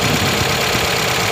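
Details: Toyota Corolla 16-valve engine just after overhaul, fresh engine oil, gear oil and radiator coolant: short stretch of steady, even four-cylinder idle with a light top-end whirr and no knocks; normal idle.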